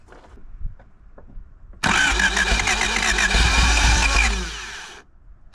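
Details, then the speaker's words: 1985 Honda Civic parked 16 years, with about 17-year-old fuel in the tank, fresh oil, and fuel poured down the carburetor: it cranks, fires and runs unevenly for about three seconds, then dies; starts on carburetor prime, fuel delivery problem suspected. "That is unbelievable. It ran. It just started."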